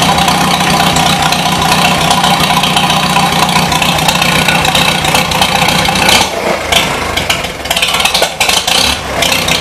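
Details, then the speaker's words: 1953 Super H engine still warming up, burning paint off the muffler: loud running with an uneven, hunting beat and dips; it runs rough, and the owner suspects it may be lean, unconfirmed. "almost sounds like it's lean I don't know"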